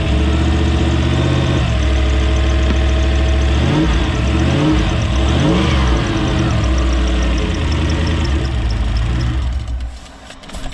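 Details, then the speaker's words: 1UZ-FE Toyota V8 swapped into a Hiace van, on a Link Gen 1 version 5 ECU firing four injectors at a time. At idle and on a blip, a light fast sewing-machine tick rides the rumble; suspected spark jumping or noisy injectors, unconfirmed. "It sounds like sparks jumping around. I reckon it sounds like a sewing machine. It sounds like sparks jumping around. It sounds like sparks or really noisy injectors."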